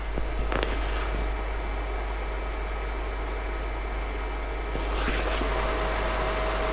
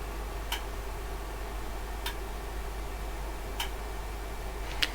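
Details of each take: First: OWON XDM3051 bench multimeter, microphone at the rear: constant mid-pitched whirring hum from the internal cooling fan. Not horrendous, but louder than wanted; the fan is to be modified. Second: OWON XDM3051 bench multimeter in dual display mode; a relay clicks crisply about every 1.5 seconds as it switches between the two measurements, over a faint, fairly loud internal fan hum: normal relay switching.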